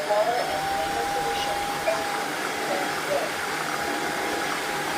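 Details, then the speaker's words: Tineco Floor One S5 wet-dry vacuum after repair of a suction motor that would not run (brush motor worked, error shown); at full speed the suction motor gives a smooth, even mid-pitched whir, no rattles or surging, now working normally. "and now you can hear that the motor is working just fine."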